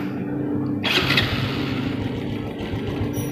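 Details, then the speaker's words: Honda Revo fuel-injected motorcycle after the faulty spark plug was replaced with one under 4 ohms resistance: even steady idle with a constant low hum and no stumbling or misfire gaps; running normally. "untuk motor matic yang sudah brebet ternyata motornya normal dan mau stasioner teman-teman ya mau stasioner"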